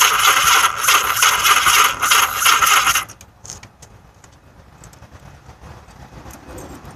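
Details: Yamaha XS1100: starter rattles and whirs at steady beat for about three seconds without firing, then stops; cranks but won't start, suspected weak battery and incorrectly installed part, unconfirmed.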